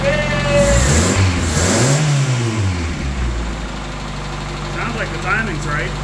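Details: 1985 Toyota Tercel engine on a chilly morning, after moving the distributor all the way back: it catches, revs up and back down cleanly, then settles into an even idle. The timing sounds right and the engine runs normally.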